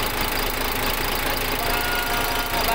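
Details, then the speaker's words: Freshly overhauled diesel engine idling after a successful rebuild: an even, rhythmic clatter at a steady idle that never hunts or misses. The engine sounds healthy. "tapos ayan umandar na ah bale nagiging success naman yung ating trabaho"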